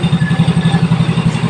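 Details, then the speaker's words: Yamaha Mio Soul i after installing a tensioner: even, steady idle putter at about ten beats a second with no tapping or clatter, noise fixed and the engine idling cleanly. "Ayan na naandar na yung makina niya no Ayan na napakatahimik na wala ng ingay na lagapak"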